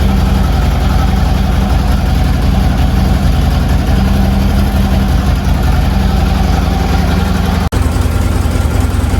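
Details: Harley Twin Cam, first start after a Drag Specialties clutch install: a loud, steady, lumpy V-twin beat at a raised cold idle, firing evenly with no knocks; normal fast idle.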